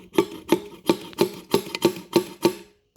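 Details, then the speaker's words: Honda 200SX that sat 2 years with water in the airbox and carburetor: eight crisp snaps about three per second as the throttle is worked by hand; throttle slide moves freely, not seized. "Thirdly, well, I know the throttle's free because you can listen and hear it."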